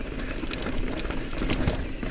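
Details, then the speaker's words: Carbon e-MTB on a trail ride: quick irregular metallic ticks and rattles over tyre and trail noise, like a loose bolt bouncing inside the frame; loose bolt rattle. "Oh man, that bolt is super annoying."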